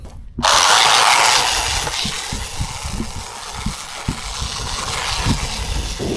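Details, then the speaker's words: Hosim 1:10 scale 4WD RC truck on a 3S (three-cell) battery: whirring electric drive with high-pitched fast clicking and crunching as it pulls. A gear is suspected to be stripping, and the motor overheats with a hot electronic smell. "that sound you hear clicking sound high pitch fast clicking sound is a gear stripping somewhere boom"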